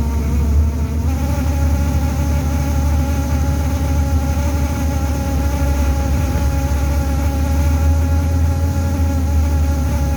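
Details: Toronto TTC bus interior: steady low drone with a constant buzzing hum over the bus noise, probably from the heater; buzzing vibration.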